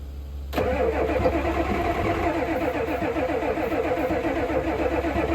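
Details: 1988 Ford F350 7.3 IDI diesel, sitting since the 1990s, given starting fluid: steady cranking chug about four beats a second never catching; crank no start, fuel in the filter but none at the opened injector line fitting.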